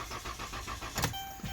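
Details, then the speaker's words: A car towed in as a no-start after another party had replaced the starter; its battery read 2.4 volts and was jump-started. It cranks steadily at about ten pulses a second but never catches. "so let me get this straight they put a starter on it because it won't start not because it won't crank that's a totally different complaint guys"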